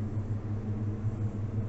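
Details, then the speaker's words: Steady low hum with no crackle or snapping from the Moskit electrostatic smoker with the door open, after the flounder was repositioned to increase clearance from the spikes; cold smoking is about to start. "И вот здесь расстояние отличное. Все, никаких тресков, ничего нету."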